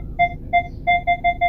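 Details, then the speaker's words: Fourth-generation Kia Sportage: clean repeating parking sensor beeps, short tones with even gaps speeding up, from the center dashboard speaker that handles alert sounds; speaker working normally. "The center speaker is responsible for all the important alert sounds in the vehicle like the turn signal clicking noise, parking sensor beeps,"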